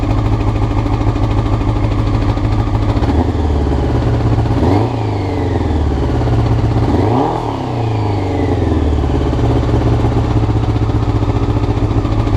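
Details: Honda CBR motorcycle, clip from before the float needles were changed: high, uneven idle with two rev blips rising and falling, never settling; rough idle, cause suspected, not confirmed.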